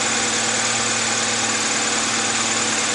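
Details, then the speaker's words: 2001 Honda CR-V after replacing a distributor rotor that was missing its rear screw, the cause of the misfire: even, steady idle with a smooth hum and no stumbles or misses. "no backfire it's perfectly fine it's running perfectly idling perfect"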